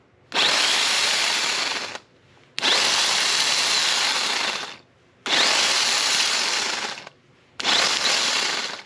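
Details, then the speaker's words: Starter from 2006 Dodge Magnum AWD 5.7 Hemi, bench-tested off the car on a donor battery: four short bursts of high, gritty rough spinning, each winding down; starter motor bad bearing, replaced. "There's definitely a bad bearing in there, guys. Yeah, she's a crispy critter."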